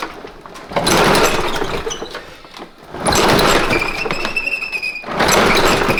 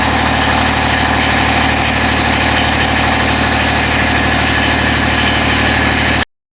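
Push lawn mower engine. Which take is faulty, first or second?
first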